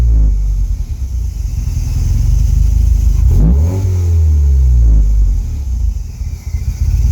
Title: Rough idle